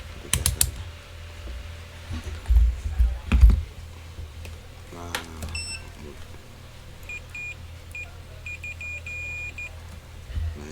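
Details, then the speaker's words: MacBook Pro 16-inch 2019 A2141, totally dead, SSD 0.9V rail: multimeter gives a steady high continuity beep each time the probe touches the rail; short circuit, two capacitors detected shorted or hot. "Nah seperti kita dengar tuh ya bunyi tit, berarti short."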